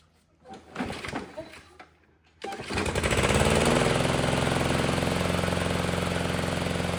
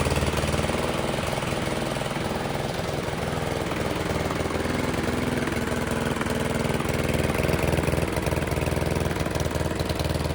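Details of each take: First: Toro mower with Briggs & Stratton engine (model 104M02-0010-F1) after reed valve replacement fixed oil blowing through the air filter: fires on the pull and settles into a steady, even buzz; oil leak cured, though a carburetor issue is suspected. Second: Toro mower with Briggs & Stratton engine model 104M02-0010-F1 after reed valve replacement fixed oil leak through the air filter: uneven stumbling chug about four beats a second with surging pulses; carburetor issue suspected.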